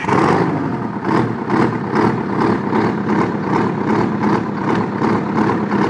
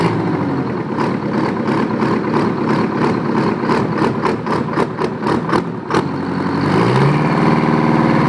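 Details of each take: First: Detroit 8V71 two-stroke V8 diesel, old engine, blowing blue smoke; loud drone pulsing unevenly two to three times a second; feeling exhaust heat per cylinder (cold, heat, heat, cold) shows two dead cylinders. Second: Old Detroit 9.3 L two-stroke diesel, firing every stroke, tops out about 1,800 rpm at full throttle: crisp rapid popping idle climbing into hard screaming rev; normal two-stroke diesel idle and rev.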